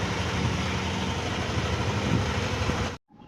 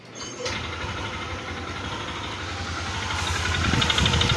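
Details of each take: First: Yamaha NMAX V2 scooter idling with a steady low hum, no knocking, then cutting off abruptly, after the drive face was replaced to cure a clanking engine noise that persisted despite an earlier block replacement. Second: Yamaha NMAX V2 scooter, engine block already replaced elsewhere but still noisy, running with the CVT cover off. It makes a rough, uneven knocking of about three beats a second because the drive face teeth are stripped; the crankshaft is fine.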